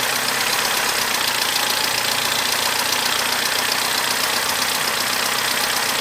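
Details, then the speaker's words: Abandoned Corsa after repairs: a steady, even idle with no knocks or misses, sounding much better than before, and the dash warning light is now off; it ran a little rough right at first start. "Now, not only does that sound 10 times better than before, the warning light has gone off of the dash."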